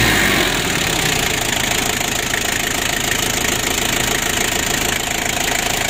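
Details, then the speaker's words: Ford Ranger diesel that had been losing lots of oil and would not rev high, as if limited, now revs up cleanly to high speed without stumbling, steady even roar; normal free revving after repair. "kita hidupkan dan kita coba gas itu sudah bisa Meraung untuk mesinnya"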